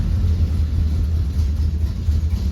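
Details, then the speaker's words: 1964 Dodge Dart GT convertible, 273 V8, 4-speed, first cold start after long sitting: deep slow lumpy rumble with no rise in speed; cold idle too low, choke not closing fully, cold idle later bumped up. "Almost like I know what I'm doing, but that cold idle needs to come up."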